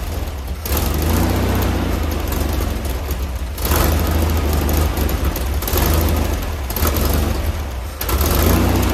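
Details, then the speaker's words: Freshly rebuilt 1600cc VW Type 1 engine, before tuning, carburetor suspected bad: rough, pulsing air-cooled chatter with a low thrum that surges every few seconds; runs sound but needs tuning. "So it sounds good. So it's got to get tuned up, but it sounds perfect."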